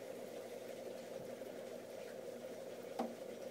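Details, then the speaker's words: Petco 100 W submersible aquarium heater in a tank, single sharp knocks rising irregularly out of a steady watery hiss, like a metronome. "the concern i have is the knocking noise i was cleaning some stuff up from a project in the basement and where this tank is and you can hear an audible knock almost like a metronome"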